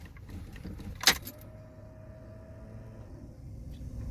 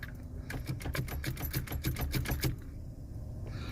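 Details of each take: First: Pontiac Fiero long left standing, battery being charged, key on: thin steady whine about two seconds then stops; fuel pump priming normally, though starter then fails to turn over. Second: Pontiac Fiero, long-sitting, battery just charged, fuel pump growling and fans running; turning the key gives a two-second run of light clicks with no cranking; owner suspects the starter is shot.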